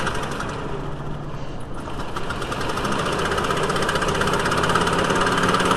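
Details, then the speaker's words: VW T4 2.5L, cold engine: uneven lumpy idle, about two or three beats per second, intermittent rough running, smells rich; broken cylinder one intake valve spring holding the valve open, found via vacuum gauge pulses and a wet plug. "cylinder one intake valve broken spring pause valve flow ruff running"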